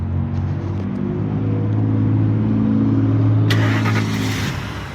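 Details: Ford F-150 V8, revived after sitting abandoned with a failed thermostat housing; new fuel pump, then intake, coil packs and fuel injectors replaced. Steady, even low idle rumble with no misses, knocks or hunting; idles healthy after the repairs.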